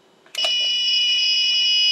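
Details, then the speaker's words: TrippLite APS1012SW inverter/charger on 12V lead-acid battery: a few quiet clicks, then a continuous high-pitched fault alarm when grid power returns while running under light-bulb load; requires reset. "it doesn't like that I have to reset it so that particular one under load and going back to grid power doesn't work"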